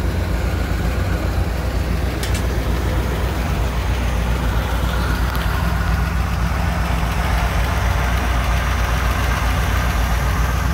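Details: 1959 Chevy Apache 3100 pickup V8, first run after over 20 years sitting, fuel leak noted: deep even low rumble with a steady rhythm and no misses, ticks or knocks; idles smoothly.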